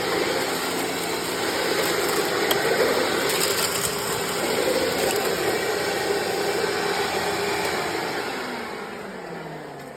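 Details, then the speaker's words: 1997 Sharp Twin Energy EC-12TWT4 upright vacuum test run after refitting the forgotten shelter plate that reinforces the brush roll: steady motor roar with smooth brush-roll whir, no rattles or knocks, then spinning down; runs normally. "There you go, everybody. It finally worked."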